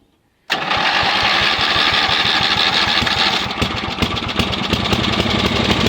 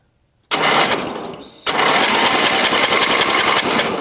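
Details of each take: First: Yardman (MTD) riding mower after removing redundant seat-safety wiring and reconnecting the kill switch and charging wires: fires straight up, runs steadily about ten seconds, shuts down cleanly; normal start and run. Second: Yardman (MTD) riding mower cranked on a booster with spark plug grounded for testing: uneven cranking about three to four beats a second with no firing; no spark seen.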